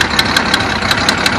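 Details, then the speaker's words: 1974 Datsun 260Z at idle, not yet warmed up, choke hooked up on only two carbs: sharp puffing ticks about five or six a second over the idle, bad exhaust leak at the header collector, which has poor welds underneath. "I don't want that sound. A bad exhaust leak back"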